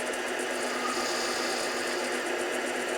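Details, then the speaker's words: 7x10 variable-speed mini lathe taking a turning cut on an out-of-round workpiece: harsh, continuous hissing chatter as the tool bites metal; the cut is uneven because the periphery is uneven. "you can see is taking a very uneven cut and that's because the periphery of that workpiece is very uneven"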